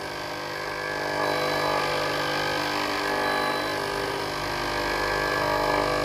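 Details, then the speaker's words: Philips GC7703 steam iron, soleplate heating normally, orange light blinking, during clean mode: the water pump buzzes steadily nonstop but no steam comes out the front; pump replaced. "ตรงนี้ได้ยินเสียงปั๊น้ำทำงานตลอดเลยนะครับแต่ไอน้ำไม่ออกที่หน้าเตานะครับ"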